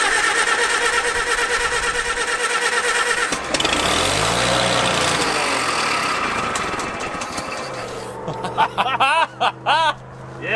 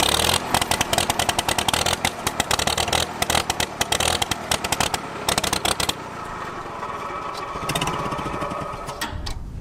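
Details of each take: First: Revived Farmall H after the ignition was fixed and fuel was poured into the updraft carburetor: the cranking catches and it fires into an uneven, chugging run settling toward idle. It starts and runs. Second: Revived abandoned Farmall H tractor: it pops unevenly and surges for about six seconds, then fades and dies. Fuel starvation, getting gas but not enough.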